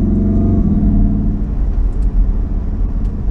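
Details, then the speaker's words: Mk7 VW Golf R with billet aluminum dogbone (engine mount) insert installed, later found to be the wrong insert for the car: deep droning engine rumble under acceleration with extra boomy vibration; stiff insert passes more drivetrain noise. "Okay, there is definitely extra noise as well. It's surprising how much this insert actually makes a difference, both in a good and almost in a bad way."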